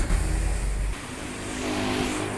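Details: 1997 Toyota Starlet Capsule 1300cc after swapping racing exhaust for a stock muffler: short rev blip then smooth subdued exhaust note settling back, nothing rough, quiet as intended.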